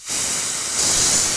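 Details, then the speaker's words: Mantus scuba diving compressor, air vent on filtration chamber unscrewed to decompress: sudden steady hiss of escaping air rising slightly midway; normal pressure vent release. "you can hear the air leaving the chamber and to close it screw clockwise"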